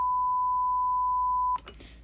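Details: Behringer PMP 3000 mixer, microphone on the channel whose head-amp gain is being tested: a steady pure tone near 1 kHz holds about a second and a half, then cuts off. This is microphone feedback howl used to measure gain before feedback.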